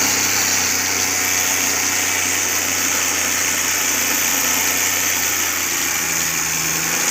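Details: Suzuki Cultus with carburettor, after CDI and ignition coil replacement: steady, even warm idle with no stumbles or dropouts over several seconds; runs clean with no misfire.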